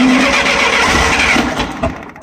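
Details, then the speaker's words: 1966 Clark 2500 forklift, gasoline flathead four-cylinder Continental, cold start after sitting six months, full choke, freshly primed fuel pump: rough sputtering cranking that won't catch then dies; engine flooded, carb issue. "Stuff's happening. Hold it to the floor. Yeah, she's flooded."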